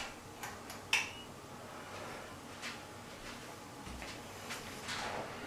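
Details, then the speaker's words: 1980s 36" SMC Laguna ceiling fan, thrift-store find, running on high (only speed working) in forward: quiet run with scattered irregular ticks and taps; fan visibly shaking on top, wobbling. "This fan's rather shaky and wobbly. It's something you can't mess around with."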